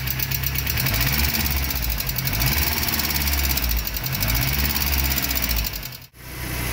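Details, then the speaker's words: VW AP 1.6 flex engine (newer G3 generation), just restarted after refitting with the larger oil filter: fast, light lifter tapping at idle. Oil pressure measured 3 bar cold, dropping to 1 bar at idle when warm; the lifters are still filling. "esses motor aqui é esse maior né ainda tá batendo um pouquinho vamos ver se carrega né"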